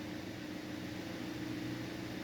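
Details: 2011 Cadillac CTS that had a misfire and oil pressure sensor code P0523, cold start, with no misfires felt. Quiet, smooth, steady hum with no misses or ticking as the high idle comes down to about 900 RPM; clean, even idle.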